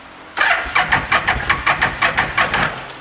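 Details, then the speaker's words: 2012 Bennche Spire 800 UTV with fuel pressure gauge fitted reading nothing: starter cranks evenly at about three beats a second but never catches, no fuel pump sound; likely bad fuel pump; cranking no-start. "I don't hear the fuel pump going I wait 20 seconds 30 seconds maybe and we'll try again"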